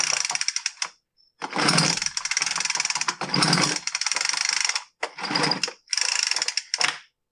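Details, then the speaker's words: Poulan Pro BVM200VS handheld blower, customer complaint won't start: several pull-cord cranks, each a rasping whir of about a second, with no firing; spark is present, and a sheared flywheel key is considered but doubted. "did that sound right to you it didn't sound right to me clearly it won't start so they do have a legitimate complaint"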